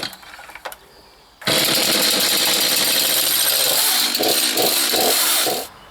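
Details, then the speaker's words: New STIHL MS231 CBE chainsaw with ergo start: brief pull, fires at once, settles into loud steady high-pitched buzz at even speed; healthy running. "Well, first impressions, it's absolutely brilliant. I can't get over that start."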